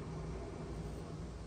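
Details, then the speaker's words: Rheem hybrid heat-pump water heater in test mode: the compressor and fan run with a steady, even low hum and an airy rush. There are no knocks, rattles or squeals, so both are healthy. "I can hear the compressor running I can feel the air blowing off of the fan"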